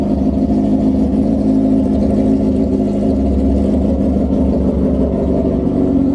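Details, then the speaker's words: 2003 Suzuki GSXR 1000 four-cylinder started just after a new clutch pack install and fresh Shell Rotella oil, with a Brock's header and Loudmouth exhaust: deep, smooth, even exhaust drone, no knocks, slips or rattles. Normal running. "Just going to fire it up, let you guys listen to the Brock's header with loudmouth, see what you guys think."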